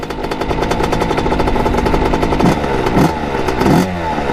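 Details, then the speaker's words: 1989 Kawasaki KX80 big-bore 110 two-stroke ridden through second to fourth gear at full throttle: revs climb with rattly clatter but never clean up or pull hard, bogging; owner suspects carburetor, maybe pilot jet, unconfirmed. "so there's obviously something wrong with the carburetor and I think we're gonna take her back let's see if we can find the problem just doesn't want golf I'm gunning it right now"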